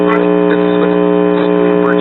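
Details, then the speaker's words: Early-to-mid 1960s Trutest series-string stereo tube amplifier: quiet with the signal source unplugged, but a loud steady low buzzing hum from the speaker once the source is connected. Mains hum from a ground loop. "clicking on a signal source it starts humming like a son of a gun"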